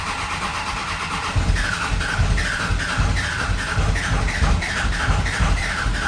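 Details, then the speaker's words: 24-valve 5.9 Cummins in a 2nd-gen Dodge Ram 2500, cranking after VP44 injection pump replacement and bleeding the injector lines. A steady beat of about 2.5 pulses a second, then it fires up normally. "I just didn't start the video in time, but it just fired up."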